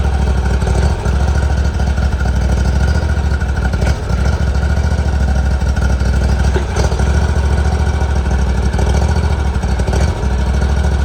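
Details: 2018 Hustler Raptor SD mower, Kawasaki FR691V V-twin, just after head gasket and valve seal replacement, shroud off, choke off and running better: smooth even low idle rumble, no misses or knocks; healthy.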